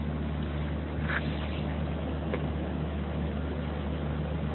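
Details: Air conditioning compressor 2RD132X5BA after repair and refitting, running in heating mode: a steady, even low hum with no knocks, rattles or squeal. It is running normally.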